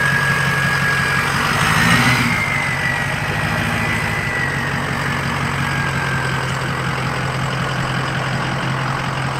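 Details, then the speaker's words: Diesel truck due for new batteries, owner wants a 5-inch straight pipe: even, steady idle rumble with a faint turbo whistle, no misses or knocks; normal diesel idle. "she sounds great and with and with a five inch straight pipe on that that will sound better than my truck"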